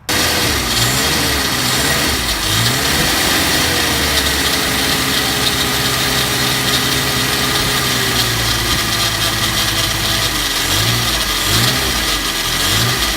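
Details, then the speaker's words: Engine with newly installed manual fuel pump and regulator, started with starter fluid: runs with a coarse, gravelly rattle over idle and wavering revs, a noise not there before, odd smell; cause not yet found. "But it sounds absolutely terrible. It wasn't making that noise before. It sounds like gravel or something. Sounds absolutely terrible."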